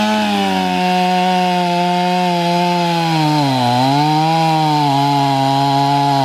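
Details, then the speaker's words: 500i chainsaw with a 3/8 steel chain meant to be filed with a smaller 13/64 file, depth gauges never touched. The drone sags and bogs mid-cut and grabs unevenly, so the chain is not cutting cleanly and needs refiling. "what's happening is i'm getting some corpusine from the chain and you'll hear going through it what i'm gonna do is i'm gonna go back and file that chain with the seven thirty seconds"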